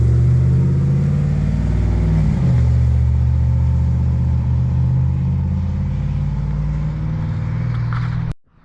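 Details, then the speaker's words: First start-up of a high-mileage 21-year-old GMT800 Chevy Silverado/GMC Sierra 1500 V8 on newly fitted used long-tube headers: catches and settles, quick blip rises and falls cleanly, no knocks or rattles; normal. "so far I am impressed. That sounds really good."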